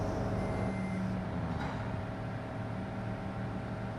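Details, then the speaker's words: Toyota FJ Cruiser 1GR-FE V6 just after timing chain job, first start, idling while oil rises into the lifters; steady, even low smooth drone with no knocking or rattle. Normal idle. "Pababain lang natin ang count, ay patakyatin lang natin ang oil para pumasok sa lifter para mawala yung unang"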